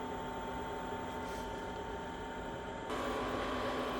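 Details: Chinese diesel heater with blue controller during cooldown after switch-off, temperature symbols dropping: even fan whir holding steady, then a slight step up in pitch; normal cooldown fan run before self shut-off.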